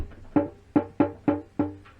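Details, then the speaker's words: Triumph Bonneville restoration, new fuel tank at the rear fixing not seating down: five sharp hollow knocks about a third of a second apart as the tank is pushed down, tank hitting the frame; needs slightly higher bushes either side. "that's banging, so I'm going to have to find some slightly higher bushes, push that up a bit either side."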